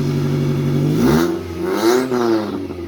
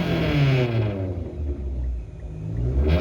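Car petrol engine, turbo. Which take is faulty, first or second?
second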